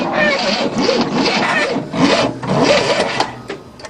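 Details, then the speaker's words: 1967 Cadillac revived after a 30-year no-start, running after timing adjustment: a repeating high chirping squeak rides over the engine, coming and going a few times a second; source not pinned down. "some things are going like squeak squeak now"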